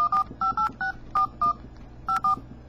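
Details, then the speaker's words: Samsung Eternity phone at volume level four in Outdoor profile plays quick, uneven dual-pitch dialing beeps, about eight in three seconds, on every tap while texting; Driving profile does the same, Normal profile is silent. "so the volume's on for as you can see that it's all four and it's on outdoor and everything you click makes a noise right it's really annoying like why would you want to hear all that going on outside every letter you type"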